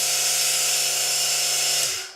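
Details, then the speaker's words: No-name eBay mini belt sander on an adjustable 12–24 V power brick, started at the lowest 12 V setting. High, steady whirring whine held at speed, then a quick wind-down at switch-off; normal, healthy running. "So turning it on, you can hear the speed on the lowest 12 volt setting."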